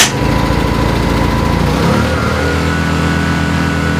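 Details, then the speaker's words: Yamaha EF1000is generator in econo mode, cold start with choke on: fires instantly and runs fast and a little rough, then settles to a steadier, lower drone; normal, gets quieter once warm and choke off. "So when you first turn this on, it doesn't run 100% for at least a couple minutes. So once it gets fully warmed up and the actual choke comes off, this thing will get quieter and quieter and quieter."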